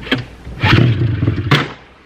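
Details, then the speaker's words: 1999 Ski-Doo MXZ 600 snowmobile, sat unused, non-runner, after swapping spark plugs, half choke: short pull with a few uneven thumps and pops that never catch; wants to fire but won't run, needs more convincing. "yeah and it wants the fire I think it just it's been sitting for a bit so it's going to take a little convincing but we're on the right track"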